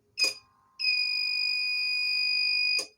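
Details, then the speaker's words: Microtek 850VA inverter on 12 V battery test via thin supply leads: click, then a steady shrill beep for about two seconds, then a click; low-battery indicator lit and inverter cut off because the thin leads starve it. "देखिए दोस्तों, यानी कि ये cut कर गया है। इसका जो है बैटरी लो का इंडिकेटर है वो ऑन हो चुका था, यानी कि वो ग्लो करने लगा था।"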